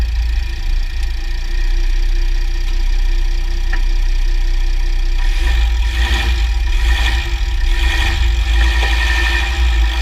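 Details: 2009 Jeep Grand Cherokee WK 3.0 CRD diesel, Quadra-Trac II, GoPro on skid plate: steady low drone then sharp clicks and clunks about once a second on load change, play somewhere in driveline; driveshafts OK, front diff bushes and transfer case oil done; cause not found.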